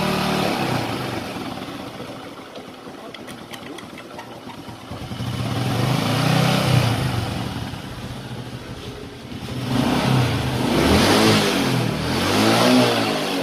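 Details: Honda Supra X 125 after repair; the metal-rubbing noise in the clutch housing was caused by a worn bearing. The single cylinder idles at an even beat and revs up and down with no metallic scraping from the clutch side. Normal running.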